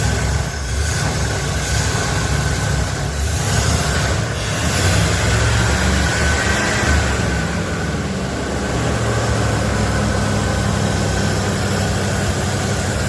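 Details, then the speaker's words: 1977 Ford F250 4x4 barn-find V8 just revived after a new fuel pump, running an old used 2100 carburetor with the choke working. Deep, steady, even rumble for over ten seconds with no misses or knocks; normal idle. "it sounds pretty good I'm happy with that leave there so now we'll get on Amazon get us a new carburetor and get that a twisted in"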